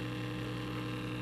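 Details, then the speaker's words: 1936 Zenith 6B129 shortwave radio, modified by a relative, just switched on, light bulb not glowing: steady low hum with faint static and no stations through the speaker; owner suspects the power-supply vibrator; cause unconfirmed. "but i'm not getting much other than static which is not good not really getting anything just some static"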